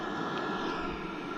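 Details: Diesel heater at full output after mains power is cut, running on backup battery at about 12.5 volts: even, unbroken whooshing roar with a steady hum, no stutter or surging; normal running.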